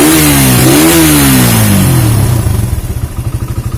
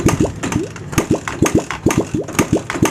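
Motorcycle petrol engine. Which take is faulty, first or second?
second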